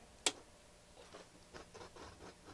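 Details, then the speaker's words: Sansui G-3500 receiver powered on during a service: a sharp click, then irregular scratchy crackles as the controls turn, from dirty potentiometers. "Okay. Oh, some scratchy noises."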